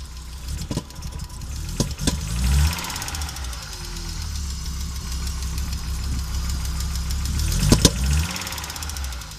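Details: Audi Coupe after an NG-to-AAR engine swap: hard starting, many misfires, and it stalls while driving. Uneven, lumpy idle with irregular stumbles and occasional sharp pops. Misfiring, rough-running engine; cause not pinned down.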